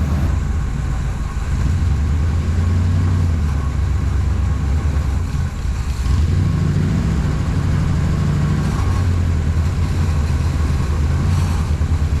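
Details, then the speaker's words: 1979 Chevrolet Suburban V8 with new dual exhaust: loud idle swelling and sagging every couple of seconds; infrared exhaust temperatures show number seven about 100–150 degrees cooler, spark plug to be pulled, vacuum leak or fuel suspected; cylinder misfire. "270 maybe number seven definitely about 100 degrees cooler on the back one so maybe pull that spark plug take a look"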